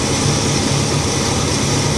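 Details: 1968 Pontiac Tempest V8 idling steadily with a smooth low rumble, no misses, knocks or ticks, with the distributor vacuum advance line about to be replaced; engine running healthy.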